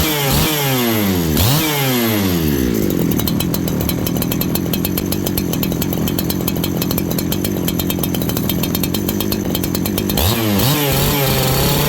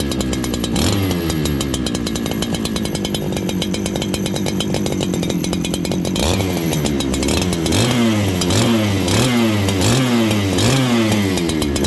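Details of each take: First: Farmertec 288 kit saw after oil pump repair and carb tuning: saw blips up, holds a clean steady scream for several seconds, then drops back to an even slow idle; carburettor set right, chain now oiling. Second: Farmertec 288 kit chainsaw after oil pump repair, before carb tuning: blubbery, uneven firing that hunts up and down instead of settling; the carburetor is set very rich, so it won't idle.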